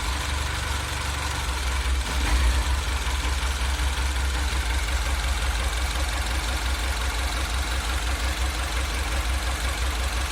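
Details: 2008 MINI Cooper S (N14) idle surge: deep, steady idle drone with a slightly lumpy, uneven beat and a small rise near the start; cause unknown.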